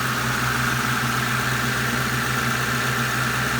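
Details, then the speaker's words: 2008 Ford Crown Victoria P71 after a new AC condenser, compressor and accumulator, vacuumed and recharged, AC on low: even idle hum with the compressor engaged and no knocks or squeals; about 150 psi high side, 10 psi low side, below the 25-30 target. "ac compressor is on and actually activated it's looking like we're running about"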